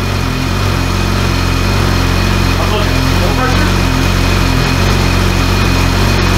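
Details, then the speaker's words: First start of a freshly rebuilt K24 in an AWD Honda Civic: smooth, even low idle with a steady hum, no knocks, ticks or misses, alternator working; normal idle. "alternators working man everything all right so first start went off really nice once we got everything working uh it seems good"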